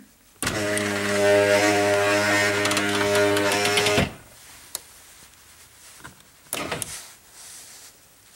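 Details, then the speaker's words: 2005 Chrysler Town & Country driver's front power window: a steady, labouring motor hum for about 3.5 seconds as the glass travels, noisy going down and slow. "the problem I'm having is it's noisy going down and slow going"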